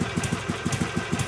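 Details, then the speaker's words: 2006 Harley Sportster 883 with 1200 conversion, new cams, restrictive jet, Screaming Eagle exhaust and intake: even lumpy twin beat about six–seven pulses a second, steady deep exhaust, slightly more bass, no knocks; tame normal idle. "As you can hear, the idle's pretty tame. I barely raised my voice."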